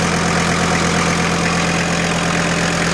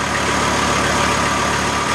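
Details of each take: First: VW T4 AAB five-cylinder diesel van, about 250 km driven, warm idle (oil about 60 °C), five-year-old diesel: uneven rattly clatter over steady beat; unexplained noise, owner suspects normal pump sound. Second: VW T4 AAB diesel van, about 250 km after rebuild, warm idle checked by phone rpm app against spec 850 ±50 rpm: even clatter, steady low idle without hunting; normal idle.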